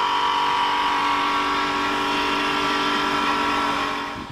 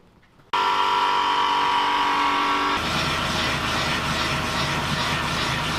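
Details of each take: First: Toyota Sienna/RAV4 AWD with all wheels raised, in drive: steady rough growl with ringing tones from the rear driveline, a worn rear viscous coupler bearing, louder with speed and constant. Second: Toyota Sienna/RAV4 AWD with wheels off the ground, in drive, after replacing the rear viscous coupler bearing with a genuine Toyota part: even engine and driveline whir, no growl or rumble rising with speed; driveline now healthy.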